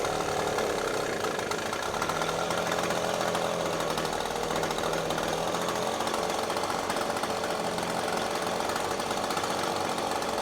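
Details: Echo PB-250LN handheld two-stroke blower after changing the fluid and turning the carburetor adjusting screw left with a modified screwdriver: loud, steady high-revving roar at full throttle without sagging or cutting out; bogging fixed.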